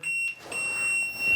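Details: Trailer wiring short hunt: multimeter gives a clean, unbroken high-pitched continuity beep reading 0.4 ohms on the fender marker light wire, showing it is shorted to ground.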